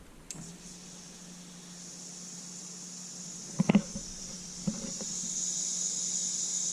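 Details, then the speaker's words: BMW E30 325i fuel pump toggled on with a pressure gauge teed into the fuel rail: low steady pump hum with a hissing bleed and a couple of clicks as pressure rises to about 3.1 bar; pump and regulator working normally. "you will hear the the fuel regulator you'll hear the fuel regulator go when i turn this on okay here we go"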